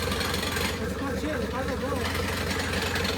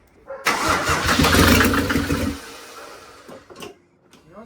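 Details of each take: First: 1984 Mercedes 380SL with swapped turbo OM603 diesel, just after first start, in neutral, throttle not connected: loose clatter at idle about 220 knocks a minute, a little uneven; idle speed not yet adjusted. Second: 1984 Mercedes 380SL with swapped turbo OM603 3.0 inline-six diesel and 716 6-speed, first start after glow plugs: short crank, quick catch into loud rough clatter settling to low idle; healthy start, throttle not yet connected.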